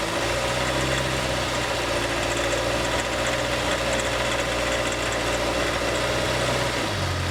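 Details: Honda City EXL 2020, bought new, engine noise noticed early and growing by about 20,000 km: steady idle with a constant mid-pitched hum and rough buzzy edge; dealer could not locate it, origin unclear.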